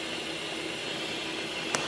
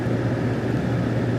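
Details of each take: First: Vehicle with P0174 lean code, smoke test at idle: steady airy hiss over a faint engine hum; intake vacuum leak apparently at the bottom of the EGR tube or base, caused by rust. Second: Steady, even low idle hum with no misses, stumbles or hunting from a 2002 GMC Sierra after fixing a rust-caused lean P0174. Long-term fuel trim is about +1.6 and short-term near zero. Normal idle.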